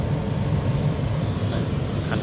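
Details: Samsung 18,000 BTU R22 split air conditioner outdoor unit after fan motor bearing replacement, running: a steady, even low fan hum with no grinding or rattle.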